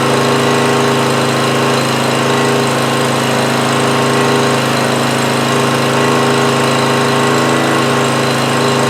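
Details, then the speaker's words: Homelite GC1800A 1800 W generator from 2008, after opening the carburettor pilot jet, running about 10 minutes with choke fully open: steady even governed-speed drone, no surging or hunting; normal running, only-runs-on-choke fault fixed. "all right it's been running pretty good for about 10 minutes or so and choke plate wide open so I feel like we fixed that issue by opening up that pilot jet a little bit"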